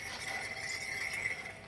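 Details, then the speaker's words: BMW 335i hybrid turbo with an AliExpress big brake kit, rear rotor spun by hand. Light metallic scrape with a thin steady ring fading as the wheel slows. The rotor rubs the rear dust shield, which was cut to fit the bigger caliper. "you can hear it there now i'm pretty confident that's going to be the um the dust cover on the back which i had to cut to fit the bigger caliper in"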